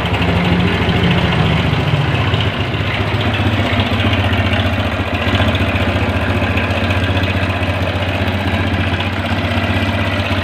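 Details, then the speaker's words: Honda Grand motorcycle, smoking heavily, suspected low or no oil: harsh, clattery idle with uneven rapid knocking about three or four per second over engine drone; engine damage from oil starvation. "Ini suaranya kasar sekali teman-teman ya. Kemungkinan besar karena motor ini ngasep parah sebenarnya, kemungkinan besar olinya berkurang ya."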